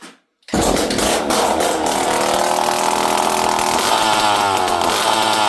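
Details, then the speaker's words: Poulan 5200 chainsaw, last run 5–6 years ago, after carburetor screw adjustment: fires after short silence, steady even high-pitched buzz, no misfires or surging; starts and runs well. "This thing runs good, though. It starts good."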